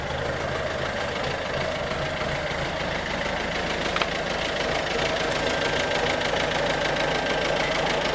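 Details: 2007 Ford Focus C-Max 1.6 TDCi 90 hp diesel at idle: a steady, fairly even knock about three times a second over a harsh rattly clatter. Engine knocking, cause unconfirmed.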